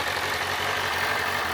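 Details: 2007 Kawasaki ZZR600, carbureted DOHC inline four, said to be mechanically tip-top with rebuilt fork seals and a new cush drive. Steady, even idle hum with no misses, knocks or rattles. Normal idle.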